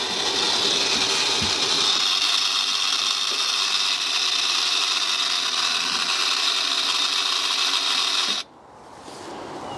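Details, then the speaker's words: BMW 760Li (E65/E66) automatic boot lid, pump motor refitted, no fluid leak found: high steady electric whine for about eight seconds then cuts off, but lid does not rise; cause unknown. "As you can see, the motor is working, but it just doesn't give it that initial push, and it seems very, ve"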